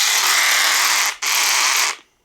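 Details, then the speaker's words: Cheap aftermarket battery power ratchet, about 4–5 years old and worn from hard use: high buzzing motor whir that falters and briefly stalls mid-run, then catches again; worn ratchet head sticking and jamming. "And this one here, I put the battery in it, and you can just hear how horrible it sounds. Sometimes this will even stop. It won't even turn anymore."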